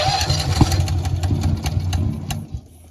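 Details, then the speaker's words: Honda EB11000 generator on a 20 lb propane tank in cold weather, after priming and slowly opening the fuel valve: uneven chugging that coughs and quits within seconds. Cranks but will not run. "Yeah, it's not working. Just like that, it quit."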